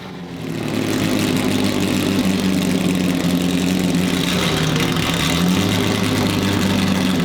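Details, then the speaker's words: Datsun 280Z fully built L28 on carbs: a deep, loping idle with an uneven "dirty chop" under a steady drone. Only a very basic tune so far; smoke is burning off coatings. Running fine. "that's a dirty chop dude that's crazy"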